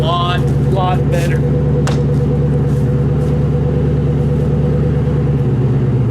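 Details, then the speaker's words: Grand Marquis with H-pipe fitted and no muffler yet: deep, loud, even rumble with a throaty low tone, deeper and meaner than before. Normal exhaust note without muffler. "a little throater a little deeper a little meaner [Music] yeah that sounds a lot better"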